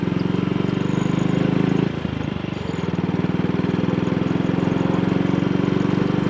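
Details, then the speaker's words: Single-cylinder motorcycle on a short test ride after the misfire fix (twisted, dislodged needle clip refitted in Wassell Evolution / Amal Concentric carburettor); thrums evenly at steady cruising, about 45–50 mph indicated, running nicely at low revs, no pops or stumbles. "And up to now, there's no sign of a misfire, and I hope that's not my famous last words."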